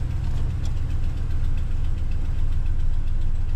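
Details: 2014 Ram 1500 Sport quad cab, 180k miles, cold start idle: quick uneven ticking about three or four a second that goes away when warm, exhaust manifold leaking past broken-off bolts.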